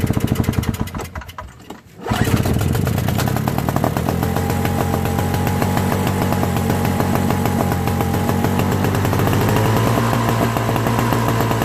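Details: Old Craftsman 5HP Tecumseh snowblower engine after carburetor cleaning and float replacement (leaking float), fuel confirmed in the bowl, pull-started: brief crank then catches, steady even putter, no stumbling or surging; normal running.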